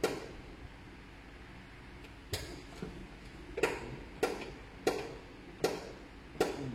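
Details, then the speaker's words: Proton Saga BLM handbrake lever pulled up giving five ratchet clicks, too high; likely the rear brake adjuster is not working, not yet confirmed. Handbrake over-travel. "kalau kita dengar, kita dapat kita rasa handbrake tu kita tarik tinggi. 1 2 3 4 5. So maknanya terlampau tinggi."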